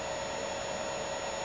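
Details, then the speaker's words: DIY pulse desulfation charger set to about 5 A, one tenth of the battery rating, on a lead-acid battery: constant mid-pitched whine with faint high tone, the normal resonance of pulse charging. "okay that lamp lights because of that acoustic whiny hearing that's the resonance effect that's actually physically breaking down those crystals as well as the electricity is reversing the formation o"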